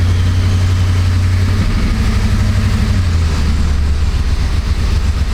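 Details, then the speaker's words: 2006–07 Jeep Grand Cherokee 4.7 V8 idling in gear, engine light flashing: uneven, lumpy rumble with the hood shaking, a misfire with code P0304 for cylinder 4; coils, plugs and injector are not the cause. "Perhaps you can hear it, but it's shaking pretty good. I mean, I don't know if you can see the hood tremoring or not. Probably not. But it definitely feels like a misfire."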